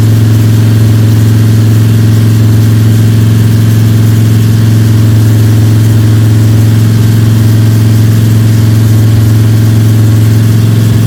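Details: Freshly built Ford 302 Cleveland V8 with Holley Sniper and new electronic distributor, first start, fast idle (~10–15 min), timing around 31°: steady, even, deep constant drone, no ticking or rattling; healthy high idle.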